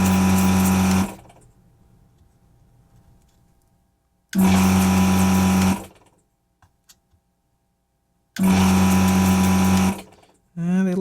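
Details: Desoldering vacuum pump on a variable-speed drive, used while removing parts from a CNC power supply board: three bursts of steady low hum, strong even tone, starting and stopping cleanly without bogging, lots of suction; normal running.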